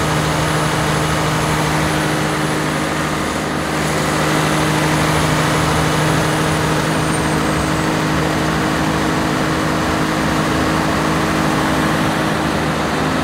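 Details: 1106 diesel generator holding a steady, unwavering drone at 100% load after the injection pump droop adjustment that cured hunting and unstable frequency. No surging or hunting; the governor is settled.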